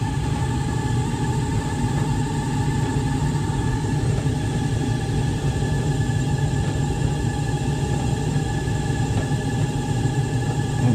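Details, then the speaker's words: 12–13-year-old LG DLEX8000V electric dryer running after heater element replacement, with warm air coming out. Steady low rumble under an even run with no knocking or squeal; the owner suspects the drum's roller wheels but is unsure. "It's got a little bit of a sound to her, but I don't know if that's just"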